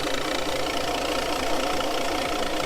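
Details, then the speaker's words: Boat engine idling with an uneven, stuttering beat and occasional soft pops, a slight misfire; the popping is more audible in the water under back pressure. Owner suspects a head gasket leak letting water into a cylinder; a leak-down test is planned. "now if you listen to it you can hear it's got a little bit of a misfire almost it's like a little stutter"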